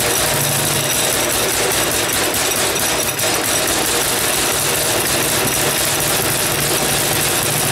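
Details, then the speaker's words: Small single-cylinder go-kart engine on a grimy cold start in an unheated shop, buzzing fast and rattly without settling: idling too high; owner suspects previous users turned the idle up because it wouldn't keep running. "it's idling a little high i wonder if the lions club guys whoever was running it crank the idle up a bit because it wouldn't keep running or something"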